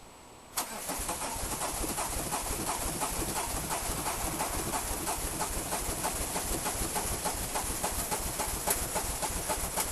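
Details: Peugeot 306 XLdt diesel, cold: starter churns steadily about 3.5 beats a second for ten seconds without catching; hard start, later found to be two dead glow plugs.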